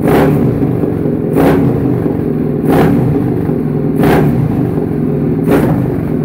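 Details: Suzuki SV650 V-twin after engine rebuild, start-up: revs blip up and drop back every second and a half, crisp and even with no knocks; sounds healthy.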